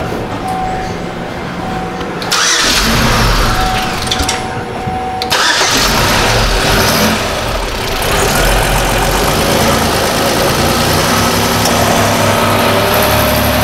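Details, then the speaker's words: 2005 Chevy Equinox 3.4L with the main relay reinstalled after its damaged wire was repaired: the engine cranks briefly, catches, and settles into a steady, even idle, starting and running normally. "all right let's get the relay in here and this vehicle should start"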